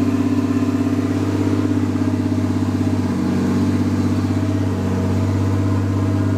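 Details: Nissan R32 Skyline GTS with swapped RB25 six-cylinder, first start: steady, low idle with even pulse, no stumbles or knocks. Later misfired badly, owner suspects overheated coil packs. Normal idle.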